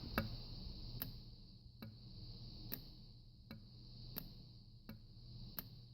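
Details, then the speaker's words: 2007 Cadillac Escalade EVAP canister vent solenoid, removed and bench-tested with leads wired straight to the battery during a P0449 fix: sharp single clicks about every 0.7-0.9 seconds over a quiet hum. The solenoid actuates normally. "So you know it's working when you hear the click."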